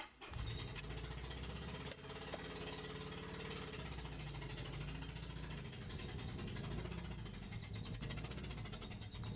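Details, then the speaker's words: Mitsubishi Colt 4-cylinder petrol engine idling rough and uneven on only 3 cylinders, a lumpy stumbling beat; misfire with OBD code P0301 on cylinder 1. "And here you can hear how the engine sounds like when it only runs on 3 cylinders."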